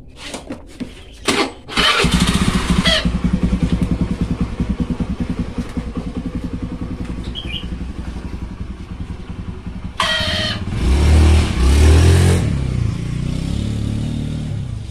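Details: Carbureted Honda Beat scooter, after fixing a dead starter and weak brakes and reassembling it: the starter spins briefly, the engine catches fast, idles with an even beat and revs cleanly with a quick blip. Starting is fine.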